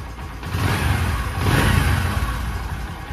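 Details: Bajaj Discover 125 after fixing a confusing engine noise mimicking a bad timing chain or camshaft, auto choke briefly raising idle: low, fairly even single-cylinder idle with soft steady beat, no rattle or clatter; sounds healthy.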